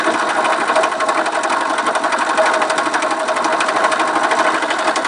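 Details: Viper Active small engine, owner asking what is knocking: fast, sharp ticking on top of the engine's buzz that keeps pace with it, a ticking knock of unknown origin.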